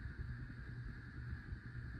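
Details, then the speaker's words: 52-inch white Hunter Pro's Best 5 Minute three-speed ceiling fan on a single switch, not a dimmer: low steady motor hum with fine buzzing; medium and high run the same, owner blames a bad capacitor and plans to replace it. "the reason why it's buzzing is because it's on a bad capacitor. Now, here's high hear the buzzing noise it makes."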